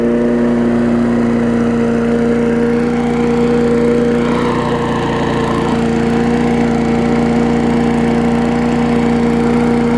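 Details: Sycamore 19-inch push mower engine repowered onto an aluminum Craftsman deck, with spilled oil still burning off. Runs steady and even at governed speed with no misses, knocks or surging: normal running.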